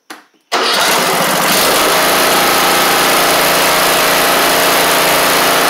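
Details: MTD Craftsman LT1500 riding mower replacement single-cylinder engine, restarted after bending the governor in: fires after a short crank, settles to a steady, even buzz, no misses or hunting; better.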